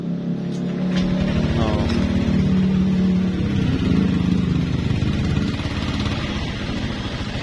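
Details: Older Honda Vario 125 injection scooter with a no-start fault, black ignition-switch wire suspected: with the jumper refitted, the engine catches and runs with an even putter, swelling briefly then settling to a steady idle; starts and runs normally.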